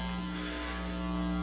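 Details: Home audio system (pre-amp, equalizer, amps) fed from the PC sound card: constant low hum with faint hiss from the speakers. A ground loop, because the audio gear and the computer were powered from separate AC outlets on different floors.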